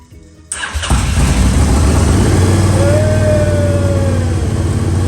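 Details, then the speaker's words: Honda Varadero motorcycle stored 5 years, after replacing fouled spark plugs, ignition bypassed, battery booster connected: brief crank, then engine catches and settles into a steady, even idle; starts and runs fine. "in have it running too long but yeah it's good she lives"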